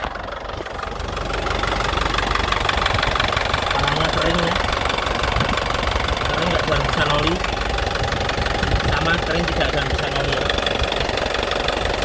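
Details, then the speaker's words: 2009 Isuzu Panther LS Turbo diesel at idle. A steady diesel clatter with an even, unhurried beat and no misses or knocks, described as calm, stable and crisp; the engine sounds smooth and healthy, with no blow-by or smoke. "ya mesinnya suaranya masih enak tenang stabil masih renyah ya kaspentter tidak pincang ya masih stabil suaranya enak"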